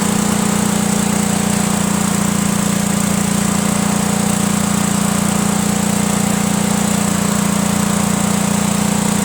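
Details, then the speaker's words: Cub Cadet lawn tractor, Kohler Command horizontal engine, normally runs rough and barely stays running; gravity-fed straight to the carburetor bypassing the fuel pump, it runs steady and smooth, pointing to a bad mechanical fuel pump with a worn actuator tip. "we're gonna have gas gravity-fed right into the carburetor so it should be getting plenty of gas and we'll see if it works"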